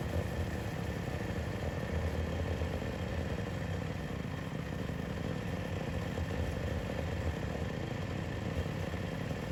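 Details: Yamaha YFZ/WR450 478 hybrid quad after a head gasket repair: a quiet single-cylinder idle with a light, even patter and no misses, knocks or stalling.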